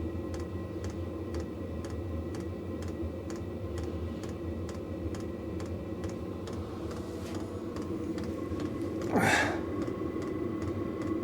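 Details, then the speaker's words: Cheap Vevor diesel heater in a workshop shed turned up to full: fuel pump ticks steadily about three a second over an even fan hum, atomizer humming, air going from cold to lukewarm to warm; pumping normally. "right so that is the pump now in the full mode the pump is still working I can hear that ticking over"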